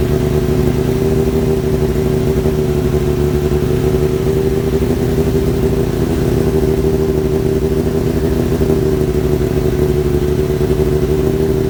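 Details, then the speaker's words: Kawasaki ZX-7R after carb cleaning for idle problem, warming up: steady even engine note, no misses, stumbles or clatter; normal running, more responsive, idle adjustment working again; owner suspects old fuel/debris in idle circuit. "well that uh to me seemed like a bit of a win um like I say it fired up pretty pretty well um and it's more responsive than it was before"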